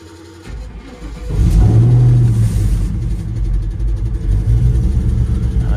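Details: LSA-swapped Chevrolet Suburban V8 after torque converter replacement, battery recharged after sitting: starter whirrs briefly, engine fires cleanly and settles into strong steady idle with no misses or knocks; normal start.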